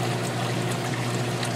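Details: Newer Whirlpool direct-drive washer draining to a sump bucket under the sink, slipped into spin: steady rushing pour of water with a low pump hum underneath. It drains too slowly and doesn't fully drain in the allotted time; cause not yet confirmed.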